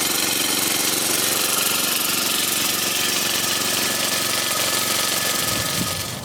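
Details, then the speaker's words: Toro Turfmaster 30-inch commercial mower with Kawasaki FJ180V engine, started on choke during service before oil change: fast, even single-cylinder patter holding speed without hunting or misses, then cut off; healthy warm-up. "let it warm up nice idle that's not all the way down either all right we got to let it warm up"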